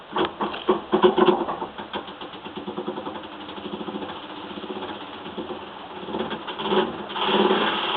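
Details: Samsung washer running with an uneven, motor-like rubbing and knocking noise that swells and fades, happening during some cycles but not others.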